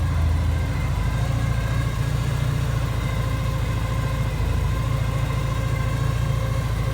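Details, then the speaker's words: Porsche 944 warm idle after work by a specialist: uneven, lumpy pulses about three a second with level surging, jumping and possibly missing; engine smoky and a new whine noted; rough idle. "it's all right listen to that it's like jumping and missing or not missing i don't know what you call it"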